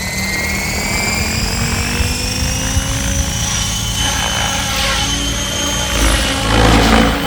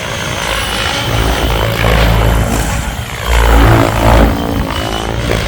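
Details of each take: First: Goblin 700 nitro RC helicopter with Switch blades at about 1700 rpm head speed after FBL tuning and modified rates; steady whirring rotor hum with clean high motor whine, no buzz or flutter, blades loud but running normally. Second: Goblin 700 nitro RC helicopter with Switch blades, after blade tracking and raised rates: loud ragged rotor roar with rough thrumming, blades pushed hard and sounding horrible, slower than RotorTech blades.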